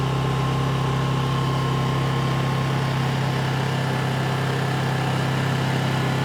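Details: New Honda EU2200i inverter generator running during a fuel-shutoff test, recorded on a phone mic: steady, even hum at constant speed with no surging, missing or knocking; normal running.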